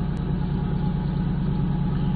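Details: 1997 Ford F-150 with high idle code P1506, after idle air control valve learn and fuel filter replacement: steady, even low idle with smooth regular pulse, no hunting or surging; actual RPM closely matching desired.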